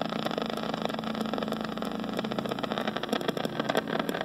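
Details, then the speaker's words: New Rheem heat pump outdoor unit with R-410A: through the Accutrak ultrasonic detector, a ragged, crackling hiss sits at one spot, refrigerant leaking from a solder joint, also confirmed with the LD7 detector; some ticking is phone discharge. "a lot of times it's very very clear you can tell that it just sounds like a but that is such a ragged little spot that hole that's what it sounds like"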